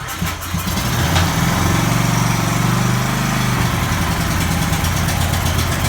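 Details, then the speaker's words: Ferris Hydrowalk 32 mower, Kawasaki 13 hp 401V engine, built December 2003, first start after carburetor repair: fires and settles into a steady, even low beat, no knocking or misfire; runs, somewhat smoky. "okay so it's running a bit smoky but it is running okay that gives me great faith in my ability to resurrect carburetors"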